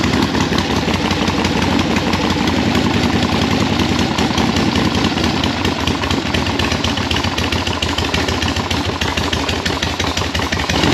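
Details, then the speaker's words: 1976 Harley-Davidson Liberty Edition Ironhead after rebuild, first start with enrichener pulled, air filter off; loose lumpy V-twin potato idle holding on its own, runs at a halfway idle, normal. "I'm just happy that it runs at a halfway idle and uh we'll put this filter back in there"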